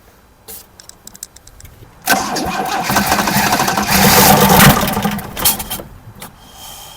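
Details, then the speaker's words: 1979 Opel Commodore C parked about 15 years, no fuel lines or pump: after a few cranking clicks it catches on hand-fed fuel and runs rough about four seconds before fading as the fuel runs dry; it has compression and spark. "okay it works it has compression it has spark and it works it starts"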